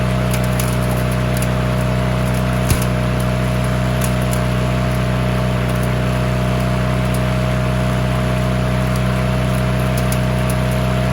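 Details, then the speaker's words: Push mower that sat six years with water in the engine, after an oil change and with the throttle rigged in place: steady, even single-cylinder hum at constant speed with no misses or knocks; normal running. "Well, this is running good. I'm gonna raise the deck up a bit, and then I'm gonna make it throttle up a little bit more, and then we'll go mow some stuff with it."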